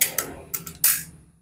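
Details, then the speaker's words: Predator PCP air rifle with erratic accuracy, firing JBS pellets before disassembly: four or five sharp cracks, some loud and some noticeably softer; inconsistent shots, hammer spring suspected but not confirmed. "Coba saya tembak-tembakkan dulu ya suaranya beda teman-teman Saya tembak coba dengarkan ya sat dua beda"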